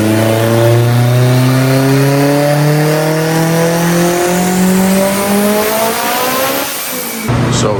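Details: Haltech-tuned Evo with big turbo on the dyno, after fixes: engine note climbs evenly through the revs at full throttle with no stutter or cut, earlier cut gone; healthy full-throttle pull.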